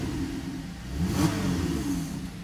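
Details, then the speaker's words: Buick Enclave after the broken throttle position sensor connector was re-pinned: short clean rev rises and falls smoothly with no stumble or hesitation on the pedal, normal rev response. "all right so as you can see that new harness is in it's looking good car sounds good"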